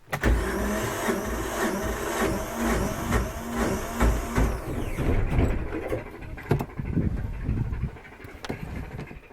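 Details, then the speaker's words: 1978 Yanmar YSB8 marine diesel in an abandoned sailboat, sat 10+ years flooded; cleaned battery terminals and carburetor cleaner in the intake: strong rhythmic cranking about three compressions a second, one near-catch, then dies with smoke; fuel pump has no fuel. "Definitely strong. Just about catches. Yeah. I think there's smoke down below. Let's see. Yeah, that's a fuel pump that has no fuel."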